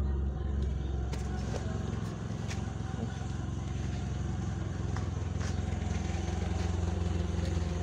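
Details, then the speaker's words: DX car on LPG with a Wingas regulator: steady low idle drone holding an even beat with no hunting or surging; stable. "Ini stabil, kedengaran dari suaranya stabil ya."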